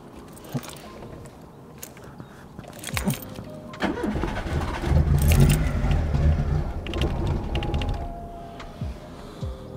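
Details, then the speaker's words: Daihatsu Mira with custom swapped engine, after first start: catches, runs unevenly a few seconds, sags and dies, can't hold idle; owner suspects vacuum leak or misconfigured sensors, engine light possibly on, plugs manky. "it's gotta be vacuum related because it seems like it can't idle now whether it's got a vacuum leak or the sensors just aren't reading right because it's not configured correctly i don't know"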